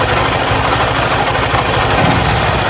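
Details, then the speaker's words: 50cc small motorcycle that won't start on the starter, at idle: fast even ticking over the single's idle; loose rocker arm rollers suspected, cam chain and tensioner to be checked, unconfirmed. "Bem eu tô achando que isso aí pode ser sabe o quê bem isso aí tá com barulho de daquelas rodinhas né as rodinha deve est solta balancinho"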